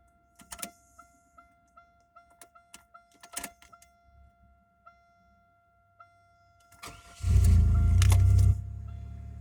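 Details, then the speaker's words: 2001 Oldsmobile Intrigue 3.5 after fuel filter replacement and priming the fuel pump by cycling the key: soft relay ticks, short whir, then engine fires right up and settles into even idle; normal start, no leaks. "fired right up no issues"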